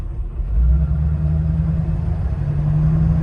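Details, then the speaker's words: Automatic on road test: low engine drone rises then steps down quickly as gearbox upshifts too early at low revs, already in overdrive; governor weights and springs to be changed. "so it's hard see that it's already in overdrive it's already in overdrive that's your dysfunctional crap well that's why i wanted to work on the governor"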